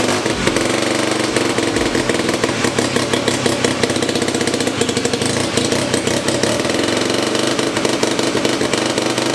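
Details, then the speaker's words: 1975 Hercules W2000 KC27 294cc rebuilt rotary, 5-speed, ~30 bhp; very smoky, owners think oil mixture not too lean and it probably needs a little more fuel. Smooth buzzing idle climbing cleanly through blips, no misfires; normal running. "it's super smoky in here it seems like are we definitely weren't running it way to lean as far as oil mixture goes it probably need a little bit more fuel"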